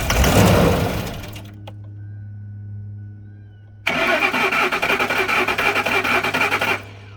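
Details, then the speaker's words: 2003/2004 Ford Expedition 5.4L with starting fluid sprayed into intake: steady starter whirring, then short burst of uneven firing that dies; crank no start, owner suspects fuel pump, fuel pump relay or central junction box. "okay so as you saw it it tried to crank up just there but what that means is that it's gonna be my fuel pump or my fuel pump relay"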